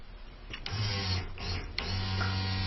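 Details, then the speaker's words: Isuzu Rodeo with cranking no-start and a recently replaced fuel pump, fuel pressure gauge installed: after a couple of clicks a steady, even low hum with faint whine; pump primes normally, fault suspected in the pump control signal or wiring. "well there you have it just more evidence not to change parts until you get full evidence but this vehicle definitely does not need a fuel pump that is not the problem"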